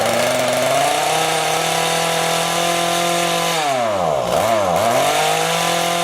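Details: Two-stroke rototiller, carburetor cleaned after winter storage and being adjusted. A steady high buzz sags and stumbles twice instead of climbing when throttled; the low-speed mixture screw is set too lean and needs opening.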